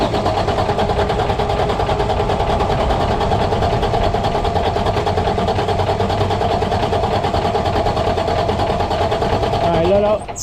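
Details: Freightliner heavy-duty truck broken down in a turn lane, no start: steady starter cranking at about three turns a second with the pedal held to the floor, but the engine never catches; air in the fuel system is starving it.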